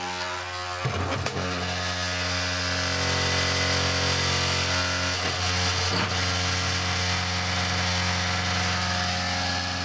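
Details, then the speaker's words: Slimline hard drive with about 4,000 bad sectors: steady motor whine with a few sharp clicks as it slowly tries to spin up but keeps spinning; failing drive. "ok just again testing FSC it and just slowly go until it gets a clicker there that's how it does that but still keep spinning up"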